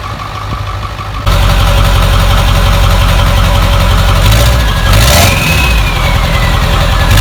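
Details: Ford F-350 with the 7.3 Powerstroke diesel, bought non-running with no oil, at its first start in years after a gauge cluster/throttle pedal fuse was fixed. Quiet cranking, then it catches into a loud, steady diesel clatter with a few rev blips, running cleanly.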